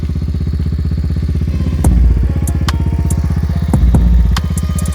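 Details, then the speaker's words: Honda four-wheeler single-cylinder idling after a cold start at about -10 to -15 below, following a neutral switch fix; started after about 30 cranks: even, fast thumping with no misses, knocks or rattles; runs healthy. "Four-wheeler started. Cold morning, -10, 15 below. So everything works good, works fine. Running, ready to go."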